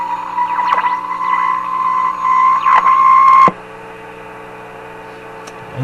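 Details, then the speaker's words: Antique Simplex vacuum tube radio under troubleshooting, given full voltage: steady whistling howl near one pitch holds a few seconds then drops to a quieter hum; set suspected of falling into oscillation rather than a short or plate contact. Cause suspected, not confirmed. "I don't think that's a plate contact I don't think that's a short I think that's the set just falling into oscillation and then when you can back the control up again it hangs on the oscillation"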